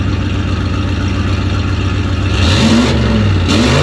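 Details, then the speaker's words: Dodge Dakota turbo truck with mid pipe on and no muffler yet, warming up before muffler installation: loud, raw, deep drone that gets rougher as it revs, with no muffling at all. Loud exhaust, no muffler. "We're going to fire it up. No muffler. So you guys can remember what it sounds like."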